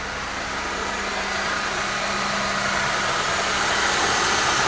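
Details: Mercedes M271 engine with a steady hum under a hissy whirr that grows slightly louder. The power steering pump was first suspected, but the noise was confirmed to come from the belt tensioner.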